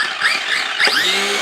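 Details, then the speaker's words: New GTFans M606 1/12-scale brushless 4WD RC monster truck, throttle test: a short electric whine rising cleanly in pitch with no grinding or cogging. A normal, punchy brushless motor run-up; the truck is listed at 68 km/h. "Wow. That has got some punch."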